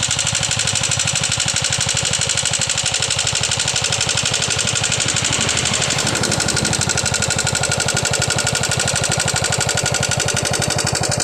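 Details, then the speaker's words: Yamaha Jupiter MX motorcycle, rocker arms already replaced but noise returned: fast metallic tapping about four per second over the engine's run; top-end tick from a worn rocker arm shaft bore. "jadi seperti ituah suara ngitik yang terjadi pada motor Jaha jupitar MX ini"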